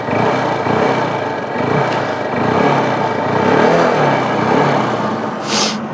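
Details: Hero Honda Hunk 150 single-cylinder, after a complete engine repair and optimization, revved in neutral with the stock exhaust: revs up smoothly and settles back, street noise around, no clatter or knock; engine sounds healthy.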